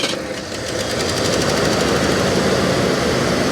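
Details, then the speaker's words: 1988 Mercury Cougar XR7 V8 just started: light quick ticking about three or four times a second over idle, fading as oil comes up; suspected lifter tap, not confirmed. "okay have a little bit of a lifter tap for a minute there she's quiet listen to that"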